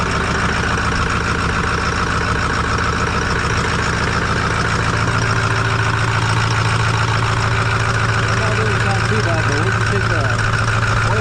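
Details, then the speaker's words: 2008 Ford F250 6.4 Powerstroke diesel, odometer reading 247, bought not running well. Loud idle with a regular heavy slapping clack about twice a second. Owner suspects cracked pistons, which he says are prone to cracking, and plans to replace all pistons. "that slapping noise so what we're going to do is I'm going to go ahead and order a full set of Pistons"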